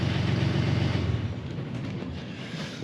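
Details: Catamaran diesel engine just after a new engine wiring harness was fitted, first tests. Steady low chug at idle fades smoothly as it shuts down, with no knocks or misses; healthy engine.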